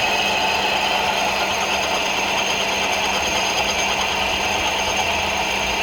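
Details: Ford Focus 2, 2.0 engine running: fast irregular metallic ticking and ringing, about three per second, over steady engine hum, from the AC compressor clutch knocking and ringing.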